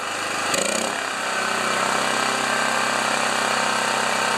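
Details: Generator engine after valve lapping with grinding compound, choked and auto low idle switched off: catches after a brief start-up rush, then holds a steady, even drone at full governed speed, no surging or misses, output about 13 amps; normal running.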